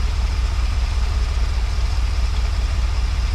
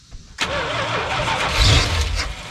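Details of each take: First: Early-1980s (81–82) Dodge 1-ton truck, sat about two years, just after resealing a leaking fuel line, fresh fuel added: deep even low idle pulsing about two and a half beats a second, no misses or knocks; normal idle. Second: Early-1980s (81–82) Dodge 1-ton truck, sat about two years: brief crank then it catches and runs unevenly a couple seconds only on carb cleaner sprayed into the intake; fires only on starting fluid, out of fuel.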